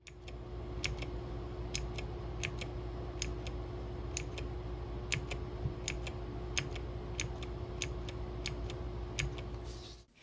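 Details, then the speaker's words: Rainy 75 mechanical keyboard Caps Lock key fitted with an aqua green clicky switch with clear top housing, replacing a disliked Outemu brown tactile switch: crisp, sharp, even clicks about twice a second over a low hum, click coinciding with tactile bump; switch actuating normally. "I can hear the key actually engaging. It really clicks, and the click sound coincides with the tactile response that I can"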